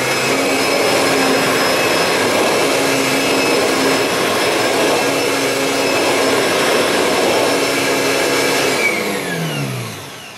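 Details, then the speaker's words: Kirby Sentria II vacuum, practically new, running during salt pickup test: smooth steady high motor whine, even pitch, no rattle or grinding, winding down cleanly at switch-off. "Obviously that sounds a lot better because this is practically a new machine compared to the G4 that needs the bearings changing."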